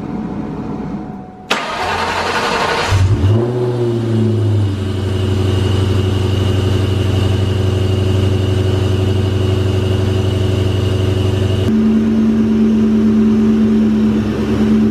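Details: Engine after fitting new idler pulleys replacing noisy factory ones: cranks briefly, catches cleanly, settles to a steady even idle with no belt squeal or chirp; noise fixed.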